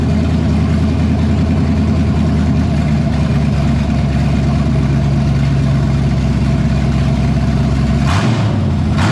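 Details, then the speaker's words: 1978 Pontiac Firebird with a small-block V8 swapped in after the big block's cam went flat, first run after priming the carburetor, coolant at 190: a steady, even idle with a smooth low burble and no knocks or misses. Sounds healthy. "I'm gonna let this thing cool back off, let it burp and burble and do whatever it wants. It sounds pretty good. I'm happy with this."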